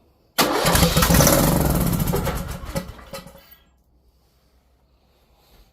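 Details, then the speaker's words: Briggs & Stratton 19.5 hp engine on a weathered Craftsman T1600 mower catches on starter fluid, roars rough about three seconds, then dies; spark and compression good, fuel not being delivered. "we have spark we just we just answered several questions with a a little Spritz of starter fluid we have spark um we've got the motor firing we got sounds like we got good compression"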